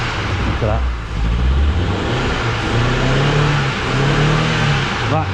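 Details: Smoky car struggling to start, then running: loud uneven low rumble with roughness in the firing, heavy smoke; clearly unhealthy, cause not known.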